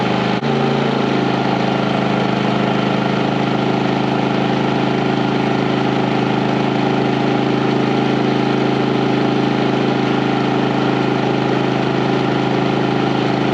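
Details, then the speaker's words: 4500 W generator on 30 A RV service running 15,000 and 13,500 BTU air conditioners with soft starts: steady hum holds as compressors kick in, no jolt or surge; both units run with power to spare. "so you hear how smooth [Music] okay so the question was will a 15 000 and a 13 5 run with this all star rv on both of them on a 30 amp service the answer is yes with power to spare transition of the compressor is kicking in so much smoother um you don't hear that jolt in here which is really nice"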